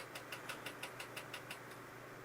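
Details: IBM 5170 PC AT floppy drive, after repair of a finicky drive, reading a DOS game disk. Crisp, evenly spaced ticks about six a second over a faint hum: head stepping cleanly, normal floppy drive seeking.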